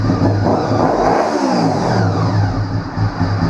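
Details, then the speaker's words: 1998 Honda VFR800Fi that sat about 8 years, started after revival work: fires and settles into an even, smooth idle with no misses, revs up as it should; running healthy. "There we go, idles beautifully. Ramps up like it should."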